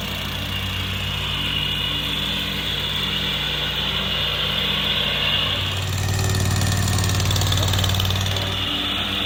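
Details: Rusty auction John Deere mower: harsh, loud single-cylinder idle with a raspy exhaust bark that swells briefly; exhaust leak from a holed muffler, way too loud.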